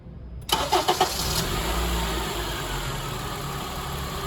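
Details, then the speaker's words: Engine starts and settles to a steady idle with the AC machine hooked up and cooling fans disconnected; compressor clutch kicks on cleanly with no grinding or squeal and high-side pressure climbs instantly: normal compressor clutch engagement. "you're going to hear the ac clutch kick on high side pressure starts to climb instantly and this is a good thing"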